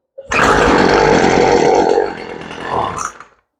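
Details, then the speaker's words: Poulan Pro two-stroke weed eater that wouldn't start after sitting, just fitted with an out-of-box carburetor, primed and off choke: buzzes unevenly then sags and dies, won't hold an idle, may need carburetor tuning. "Yeah, she's pretty close. Sounds like she might need a little bit of a tune right out of the box. So let's get the tool and tune her up real quick."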